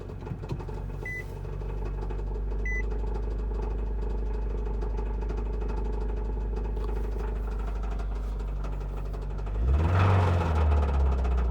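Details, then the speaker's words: Nissan Cube at idle with a steady deep knock, three or four per second, over a heavy rumble; the owner suspects the connecting rod is loose on its journal or a ring land is broken; the cause is unconfirmed. "it's bad it's that's got to be the connecting rod wobbling around on the journal"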